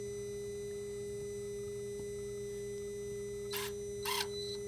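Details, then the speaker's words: Dodge/Mercedes Sprinter, replacement turbo boost-pressure actuator after code 2510 limp mode (old one's lever didn't move), scan-tool test; two brief whirring bursts over steady electrical hum, actuator moving freely to open/close turbo vanes; normal actuator operation. "so with the actuator now working the computer will be able to open and close the veins inside the turbo which is going to create more boost to the engine so that the vehicle can have power"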